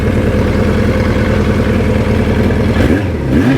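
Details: Vintage four-cylinder motorcycle, stored outside for years without spark plugs, engine freed up and since ridden 3,000 miles and daily: runs and revs cleanly with a crisp exhaust note, no knocking or misfire; healthy.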